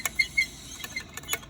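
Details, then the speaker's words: 2004 Ford Mustang GT 4.6L 2V V8, transmission removed: short thin squeaks and light clicks as the overly loose clutch throwout bearing is worked by hand; worn throwout bearing, to be replaced. "Now here is the problem. You can hear the squeaking, and this should just not be that loose in general."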